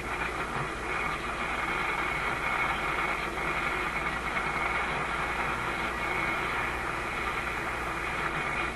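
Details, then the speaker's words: RCA A25 vacuum tube shortwave radio during IF and RF alignment on a loop antenna: steady loud hiss and crackle with no station coming through, just noise across the AM band; cause suspected, not confirmed. "Just a lot of noise. Let's go up another band."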